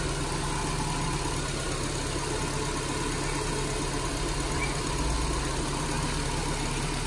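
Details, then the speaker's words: 2010 Nissan Grand Livina SP, after flood water reached half-tire height, recorded at the open hood: steady, even idle hum, no rough grinding or ticking noise any more; normal idle after repair. "Suara mobil normal kembali, tidak ada bunyi kasar-kasar lagi."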